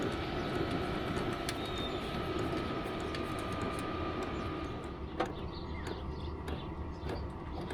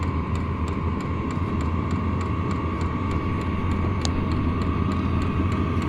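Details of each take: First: Vevor 5kW diesel heater after upgrading to a Wayska fuel pump and a quieter muffler; a soft, steady burner hum with faint pump ticks as output steps down from level 10 to level 1; much quieter than before. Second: Vevor 5 kW diesel heater running with no exhaust muffler: steady whirring hum with a harsh, unmuffled exhaust roar and regular faint fuel pump clicks.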